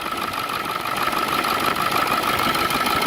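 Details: Ford Excursion 7.3 diesel after replacing the seized pulley/tensioner housing and frayed belt: steady idle with even clatter and constant mid-pitched hum, nothing rubbing; running fine.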